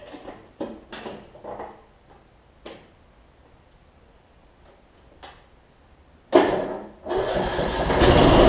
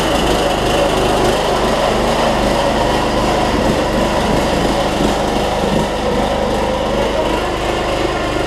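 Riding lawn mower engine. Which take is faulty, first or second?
second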